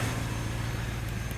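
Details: Chevrolet Impala LT1 V8 idling just after a first-try start following a new spark plug and plug wire install: a steady, low hum at an even pitch without stumbles or misfire pops, no idle issues.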